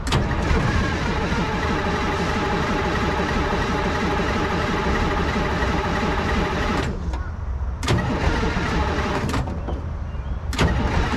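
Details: 1970s Chevy C70 with a Detroit Diesel 6V53 two-stroke that sat 30 years, cranked on one fully charged Optima battery: steady cranking at about three beats a second with brief firing that never picks up, dumping diesel; emergency air shutoff left tripped.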